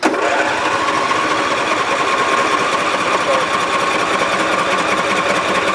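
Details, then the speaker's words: John Deere LA145 V-twin mower engine: steady high drone at even speed, no knocks, runs briefly on primed fuel then dies; fuel not getting from fuel pump to carburetor, a fuel delivery problem. "oh sounds so good doesn't that sound good that sounds so good we have a fuel delivery problem"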